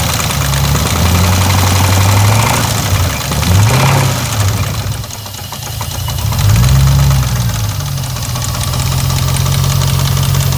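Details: 2002 Jeep Grand Cherokee 4.7L HO V8 with timing chain slack, at idle: a deep, steady knock about three to four a second, rising with throttle blips. Pan removal found a shot rear main bearing and loose rod bearings. Rod bearing knock.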